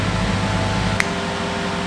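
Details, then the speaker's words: Manual Maserati GranTurismo with an apparently new radiator and a loud exhaust, possibly a Milltek. A steady airy fan rush with a low hum doesn't change speed: the cooling fan runs constantly. The owner suspects an air lock; cause unconfirmed. "um which looks like it's had a new radiator it's constantly on i'm wondering whether it's like an air lock or something but he's constantly on"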